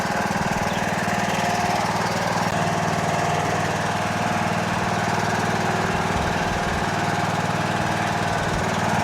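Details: Toro Wheel Horse 1638HXL hydrostatic lawn tractor after finished repair, driving out: even steady thumping about three beats a second, no knocks or grinding; engine and transmission healthy, normal running.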